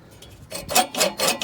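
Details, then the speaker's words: Push reel mower before sharpening: reel raised with the adjusting knobs until it contacts the bedknife; repeated bright scraping swishes as it rubs and grinds on the bedknife. "definitely grinding against it I'm going to bring the other side up just a touch okay it's it's rubbing pretty nicely"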